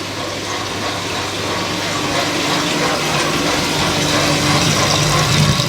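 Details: 1996 Whirlpool direct-drive washer, normal cycle with towels: even whooshing water rush with a steady low pump hum slowly building as the drain pump empties the tub; normal drain, less powerful than the owner's Maytag.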